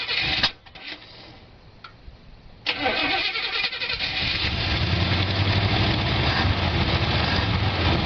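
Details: 1973 El Camino sat about 7 years in weeds, new spark plugs fitted, carburetor not yet cleaned: ragged cranking with a few coughs, catches about three seconds in and settles into a rough steady run; first start after storage.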